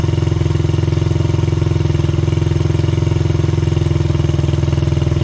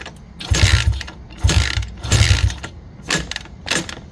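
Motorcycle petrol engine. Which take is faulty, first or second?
second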